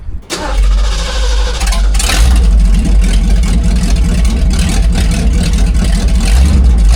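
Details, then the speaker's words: Big-block Mercury, factory exhaust section cut out before a DIY dual exhaust build, cranks, fires and barks loud and deep through open headers with unmuffled throttle blips. "With this big section of pipe out, you got to do the obligatory fire up open headers."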